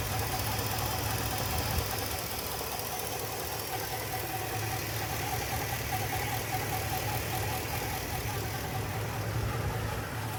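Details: Ford F250 at idle: a loose, uneven knocking with no clear pattern, more prominent under the vehicle at the front; source unknown.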